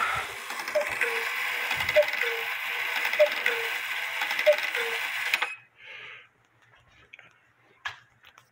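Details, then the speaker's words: Circa-1880 Alexander Fleig cuckoo clock that stops about five minutes before the hour at warning: steady ticking with an extra sharp click nearing the half hour; warning wire spread too far, over-pressed by one minute-arbor pin, which may be bent. "this is coming up on the half hour it shouldn't click like that it's putting too much pressure on it"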